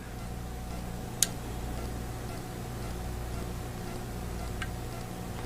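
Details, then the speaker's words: Sloan sensor flush valve, cover removed, touch buttons pressed to activate the solenoid: a sharp first click, then a softer bump about three seconds later over a low hum; normal solenoid operation. "if i touch these it's going to activate the solenoid and in doing so i'm going to hear the first click followed by about three seconds later you're going to hear more of a bump than you will a click"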